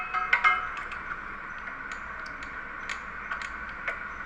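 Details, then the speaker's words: Baudouin 750 kVA generator set being coupled to a Leroy Somer alternator, coupling bolts torqued to 75 ft-lb: light, sharp ticks one after another over a faint ringing hum as the torque wrench clicks off cleanly at its set torque. "ये अभी हम इसका torque आपको sound के साथ test करवाते हैं। ठीक है, टट्टर की आवाज़ आ रही है, करो टट्टर जरा 1-2 बार।"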